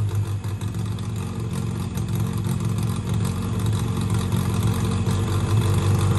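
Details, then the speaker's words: 1963 Austin-Healey Sprite 1098 four-cylinder after swapping the Weber for SU carbs, new plugs, ignition timing turned back to cure popping: steady even low rumble, no misses, pops or knocks. Normal running and idle. "I went ahead and even adjusted the idle and it was so simple and it just idled right down right now it's running really really good"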